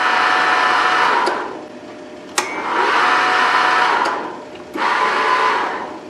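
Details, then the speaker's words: 2005 Wood-Mizer LT40 sawmill power feed motor, previously working only in reverse, after replacing the variable speed controller module; smooth motor whine winding up, holding, winding down in cycles, no grinding; feed motor runs healthy. "works yup definitely working now you hear it"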